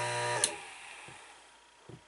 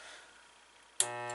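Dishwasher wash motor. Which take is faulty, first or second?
second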